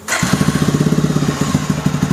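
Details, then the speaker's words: Bajaj Pulsar 220F after engine failure following a recent full engine overhaul, exhaust at rear: catches first crank into a muffled even exhaust beat; starts and idles properly. "तो proper तरीके से start हो रही है bye थोड़ा race लेंगे मैं race करूंगा"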